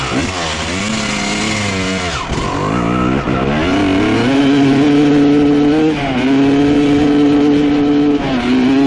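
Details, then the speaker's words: 1995 Honda CR250 two-stroke with a horrible bog, after swapping in a CR250 carb (same 55 pilot, 175 main jets): revs climb then sag and stumble on each throttle opening; bog unchanged, so carburetor ruled out. "all right unfortunately other carb made no difference still doing the same thing so we can completely rule out the carburetor"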